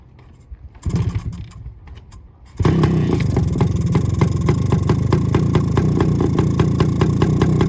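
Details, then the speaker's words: 1972 Suzuki TS185 two-stroke with 1971 CDI unit and new unadjusted carb: crackles alive after cranking bursts and settles into a fast raspy idle far too high, carb not yet adjusted. "it'll run but I haven't adjusted the carb at all so it's running kind of crazy it's idling at"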